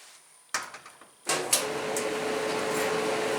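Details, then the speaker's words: Electric dryer that would not start. With the door switch bypassed by a jumper wire, it starts on timed dry: clicks, then a steady even drum hum and tumble even with the door open, and it heats. The fault is the door switch. "And it does. But it also keeps running with the door open. does feel like it's getting warm."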